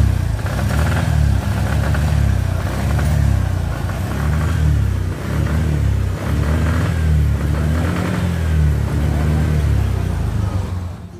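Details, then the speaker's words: Suzuki Spin 125 scooter, spark plug already replaced: revs but the note breaks into ragged stuttering bursts under throttle, a misfire caused by a missing engine ground cable. "nah ini motor sudah bisa hidup tapi kenyataan sudah saya setel juga itu masih mengalami mbet dan mbetnya itu seperti ini nah seperti ini jadi ketika motor ditarik gas itu suaranya BR seperti itu"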